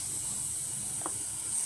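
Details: Old-fashioned, cheap mobile phone charger gives a constant shrill high-pitched whine while plugged in. The cause is degraded low-capacitance output capacitors, and replacing the 50V 0.47µF and 2.2µF capacitors cured it.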